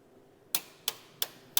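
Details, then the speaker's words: ATS panel remote genset test, main supply switched off to call generator: four crisp, evenly spaced ticks about three per second in quiet LV room; timer relay counting down normally before genset starts automatically. "As I off this one, this will operate. It will call the genset to start automatically."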